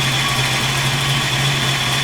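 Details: 1986 Ford Mustang GT V8 idling after TFI module and coil replacement, base timing set to 12 degrees with spout wire pulled: steady, smooth idle with even low rumble, no misses or surging.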